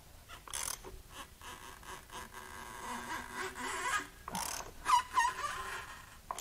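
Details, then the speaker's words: JDM red-top Nissan SR20DET turbo engine, long-sitting salvage unit with water found in a plug well, turned over by hand: slow uneven creaks and high screaming squeals from dry piston rings dragging on rusted cylinder bores. "first i'm gonna have you guys listen to what this sounds like when it turns over because it's not good it's not good at all"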